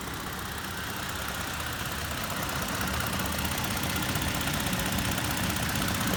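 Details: 2019 Toyota Tacoma TRD Off-Road 4x4 (3rd generation) at idle: faint, fairly regular light tick or click over the engine hum; source of the ticking not pinned down.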